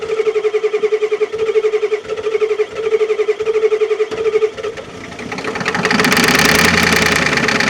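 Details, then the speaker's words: 1989 Ford F250 7.3L IDI diesel, first start after sitting 6 years: slow pulsing cranking for about five seconds, then it catches and roars up loud and uneven, blowing dirt out; a rough first start. "goly that thing's loud remember what it sounds like uh-uh it that wasn't no smoke that was dirt flying out"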